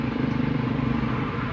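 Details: Toyota Vios idling low and shaking with a lumpy, stumbling misfire, fuel smell inside the car; spark plugs newly replaced, but the number four ignition coil gives no spark.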